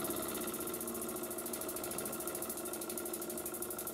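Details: Burnac Vulcan model steam engine on live steam, methylated-spirits burner, boiler half full, engine freshly oiled: quick, even chuffing over a soft steam hiss with no knocks or stumbles, a smooth run, though a problem still needs addressing.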